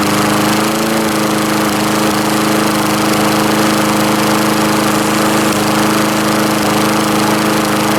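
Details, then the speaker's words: Lawn-Boy S21ZPN mower fitted with a mid-1980s Tecumseh replacement engine, stone-cold start on one primer press at about half throttle: steady, even buzz with no misses or knocks, running cleanly. "Alright, so this is a cold start. Hand on the block, stone cold."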